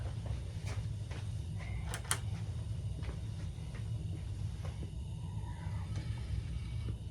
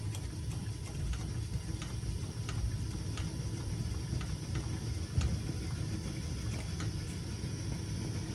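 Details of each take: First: Coleman Peak 400 stove burner cranked back up after boiling coffee; deep, even roar with no sputter or surging, big blue flame; normal burner roar. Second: Coleman Peak model 400 liquid-fuel stove after pumping, flame turning blue: low rumbling roar with faint irregular puffing as the burner chugs while its generator warms up.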